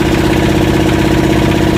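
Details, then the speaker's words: Yanmar SB12 marine diesel after fuel line repair and re-bleeding, primer bulb mounted vertically, run about 40 minutes continuously: steady, even knock-free idle at constant pitch; running smoothly and healthy. "Keep running it for a while. Make sure it's all the air's out of the line now. Well, the engine's been running about 40 minutes now, continuously."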